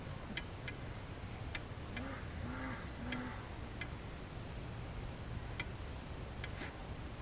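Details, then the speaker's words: 2006 Toyota Corolla XRS driver's-side caliper, piston pressed back with the bleeder open: sharp ticks and squeaky creaks, with fluid squirting at each creak. The piston goes in but is a little tight; sticking caliper. "The creaking sound was interesting, and it seemed like when it was creaking, it kept, every time I make a creak, it'd be like, psh, psh, keep squirting fluid out."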